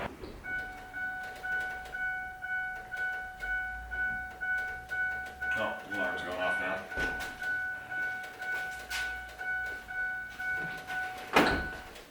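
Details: 6.4 Powerstroke truck at key-on after engine reassembly, before first start: a two-tone chime repeats about once a second with quiet gaps, with many dash warning lights on; dash warning chime.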